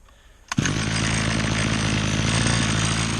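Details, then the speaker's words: Old Kawasaki two-stroke edger, sat for months, started with fresh fuel; pulls over and catches at once, settling into a steady high buzzing run with no misses or surging. Still works good, normal running. "There it goes. And so, still works good. Old Kawasaki for you, Shingu. It's been sitting for months, and still goes alright with a bit of fresh fuel in it."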